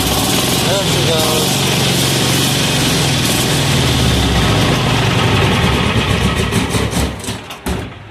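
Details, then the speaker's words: Amazon 186FA single-cylinder diesel running on filtered used synthetic engine oil: loud clatter that holds, then surges unevenly and dies away, stumbling on air pockets in the fuel line. "more air pockets okay let me get past this and I will uh we'll come back definitely definitely got some air pockets in the line"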